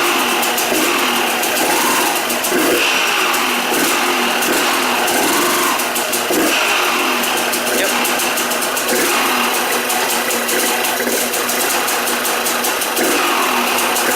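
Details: Rebuilt KTM 200 two-stroke started to check clutch and gearbox engagement: busy, crackly fast idle, steady throughout with no knocking or rattles; normal two-stroke idle.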